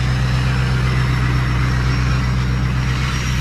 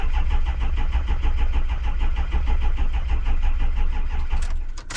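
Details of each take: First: Diesel truck started with a Loki Thor J3250 jump pack from a battery at about 12.1 V: an even, steady low idle with a faint, thin turbo whistle on top and nothing knocking. It is healthy and warming up. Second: Diesel vehicle started in very cold weather from a Loki Thor J3250 jump pack, glow plugs dropping voltage to 10.4 V: slow, labored cranking with heavy even pulses for about four seconds before barely catching; hard cold start.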